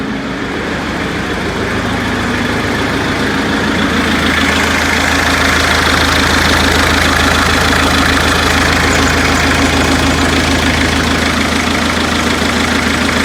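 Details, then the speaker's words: Perkins four-cylinder diesel in 1980–81 Bobcat 843, injectors reset to crack at 2200, electric fuel pump: uneven shaking idle near 200 pulses a minute; all cylinders firing and balanced per exhaust temps and line-cracking, still runs rough. "i seem to have a balance situation but still running rough i think it probably should be smoother"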